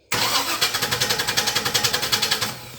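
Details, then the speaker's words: 2000 Chevy C3500 after checking a ground-cable voltage drop: battery at 12.15 V, dipping to about 10.5–11.2 V while cranking. Strong, even cranking at about three and a half turns a second for two seconds with no slowing; starter and supply healthy. "has dropped to 10 and a half and went back up to I think it was 11-6 while it was cranking"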